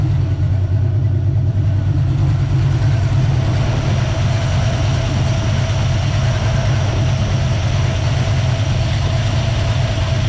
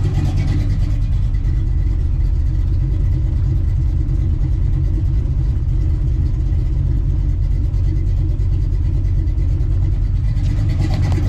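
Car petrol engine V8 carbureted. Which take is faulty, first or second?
first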